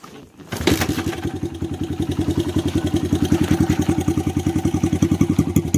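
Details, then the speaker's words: 2004 Honda CRF100F single after an oil change, slightly overfilled, started and run to check for leaks; quick start then steady putter around 210 beats a minute; clean, healthy idle. "So far everything looks good. I'm gonna let it run for a few minutes, make sure it's good."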